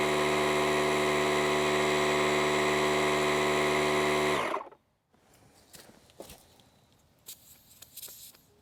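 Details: DeWalt 20V MAX DCC020IB cordless tire inflator filling a camper tire, set to 48 psi: a steady, even motor-and-pump drone with a fast regular pulse that stops cleanly. Running normally.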